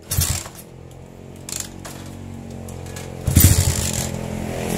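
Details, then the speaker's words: Honda Tiger/CB single with AC ignition, after rewiring stator-CDI-coil ignition harness with key switch on: starts with a pop, loud even low idle, revs cleanly with no misfire. "Oke, kita akan coba hidupkan motornya ya para brother semua. Maka motor ini bisa hidup."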